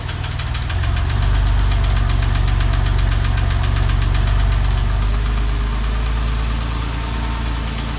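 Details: Porsche 996 engine at idle: a deep, regular knock at around three beats a second under the steady idle; source not yet pinned down.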